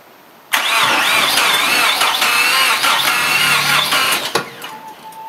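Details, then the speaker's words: Car sat about 6 to 9 months; revived 5-year-old battery once at 0.75 V. Starter cranks in reverse gear with no clutch cable and rear brakes seemingly locked. Labored whine with wavering pitch for about four seconds, never catching: starter straining against heavy drag, moving the car. "well we can get the in the door now okay um for shoot that charged it up enough to crank it over a few times plus push the starter motor enough to move it what's that definitely charged the battery up"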